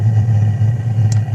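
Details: Webasto Airtop 3500 12V diesel air heater, relit after going out: steady low rumble with a constant deep blower and burner hum, no sputter or surging, burning normally with warm air coming out.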